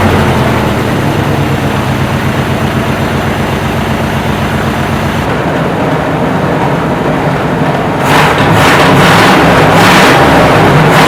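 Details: 1968 Chevy C10 small-block just revived after sitting 15–16 years on old fuel: steady, even idle with regular pulse, no ticks or knocks, then a louder rise in revs near the end; good oil pressure, normal idle, maybe needs tuning.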